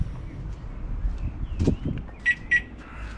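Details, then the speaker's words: 2012 Range Rover Evoque with a faulty rear tailgate latch, tailgate out of alignment: two quick high beeps after the tailgate is closed manually, the lock-refused warning; the owner suspects an electronic or intermittent lock mechanism fault, and the car won't lock. "so you get that double beeping noise hey we shall open it look at this horrendous noise it sounds like the electronic path of this lock mechanism doesn't seem to work or it's working intermittently"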